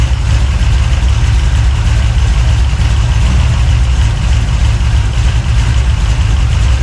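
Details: 383 stroker small-block V8, freshly built and swapped into a 1970 Monte Carlo, at first fire-up in the car: loud, deep idle with a choppy, loping big-cam beat, steady with no knocks; normal lopey cam idle.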